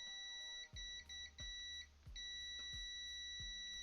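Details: Digital Xbox One S 1TB with no power: meter gives a steady high continuity beep each time the probes touch across the caps on the 5-volt line, showing that rail is still shorted.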